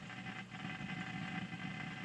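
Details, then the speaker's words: Old PC with a worn IDE hard drive, Windows still loading after three minutes: faint steady whir with a constant patter of soft ticks that never settles: failing hard drive seeking nonstop. "bon là ça fait plus de trois minutes voyez que le disque dur lui travaille comme qu'elle arrête pas"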